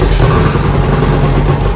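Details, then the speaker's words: 30-year-old Range Rover Classic V8, first start after sitting 7 years, running without exhaust silencers: loud, raw, open V8 burble with an even firing beat and no knocks or bangs; healthy engine, just needs silencers fitted. "Beast sounds sick don't it that's loud though yeah it needs the silencers on"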